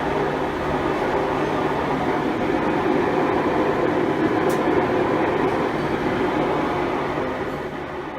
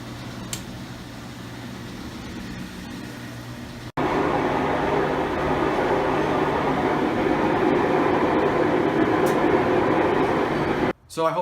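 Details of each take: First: Five-year-old Maytag Bravos XL top-load washer on spin: loud steady rumbling roar, tub grinds when moved by hand; worn drive shaft bearings found, replaced. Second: Five-year-old Maytag Bravos XL washer after drive shaft bearing replacement: a quiet start, then a smooth, even whoosh during spin with no rumble or grinding. Normal spin.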